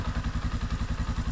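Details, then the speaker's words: Yamaha Scorpio single-cylinder motorcycle: a heavy thump at about nine beats a second with a loose metallic rattle on each beat. The rough noise comes from the clutch and is harsher when the clutch is released; the valves need adjusting. "terus kalau dari suara kalau Scorpio emang suaranya kasar ya itu terdapat di bagian kopling pasti kopinya itu bentar gatal ketika kita pencet koplo itu suaranya itu gila ah suaranya juga kita di sering kalau kita lepas kopinya lebih kasar"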